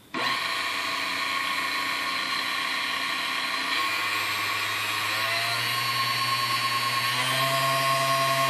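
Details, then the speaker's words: Fully restored Sunbeam Mixmaster Model 7B after slight adjustment: clean even motor whine stepping up in pitch through the speed range, no buzzing or barking, so capacitor is good; smooth, healthy mixer motor. "all right as you tell it goes through all the you know that's the speed range nice and smooth um you know it's just a good running little machine here"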